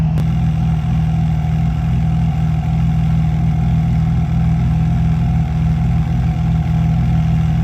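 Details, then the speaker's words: BMW E36 drift car, started after standing years in a yard: steady, even low hum with no knocks or misses, idling smoothly; owner unsure it is even taking air. "I don't actually know if it's taking any air even, but she's still running, ticking over, idling, behaving herself quite well."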